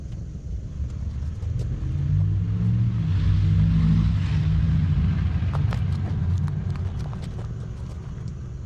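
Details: 2011 Mazda 3 with a recently started, well-hidden exhaust leak: low engine rumble with a rhythmic puffing tick, about three to four a second.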